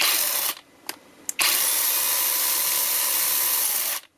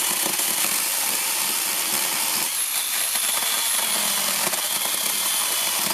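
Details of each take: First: Counterfeit Makita DUC302Z brushless cordless chainsaw that intermittently starts and stalls in wood, batteries ruled out: motor whirs up, dies after half a second, twitches twice, runs about 2.5 seconds, stops; suspected faulty controller, to be replaced. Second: Fake Makita DUC302Z cordless brushless chainsaw after repair of cutting out and bogging, tested on one battery; steady even high-pitched chain hiss through wood with no bogging, normal cutting.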